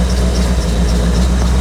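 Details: 1985 C4 Corvette V8 idling while warming up on a 14-degree morning after the negative battery cable connection was fixed. Deep, even idle rumble with a steady, unbroken beat; running smoothly.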